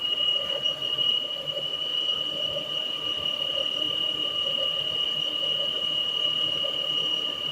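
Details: Peugeot 408 engine at idle: a thin, steady high-pitched squeal holding one pitch, resembling a pulley bearing but with no bearing grind; traced to the PCV valve in the valve cover.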